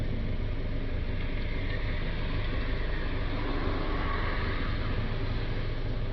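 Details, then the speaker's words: Citroën Jumper 2.0 diesel van, restarted after the DPF additive tank was refilled and reset, with DPF pressure at 4–5 mbar; a steady, even low diesel rumble with no knocks or misses. Normal diesel idle. "Okay, so I've just started up the engine again. We've got 4 or 5 millibars of pressure now."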